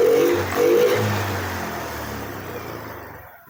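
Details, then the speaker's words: Engine start after piston and cylinder reassembly, exhaust fitted, injector and ECU normal; runs high at first, then revs drop smoothly to an even idle with no knock or rattle, normal. "Saat dihidupkan pertama itu seperti putaran gede dulu ya. Jadi putaran besar dulu, kemudian langsam."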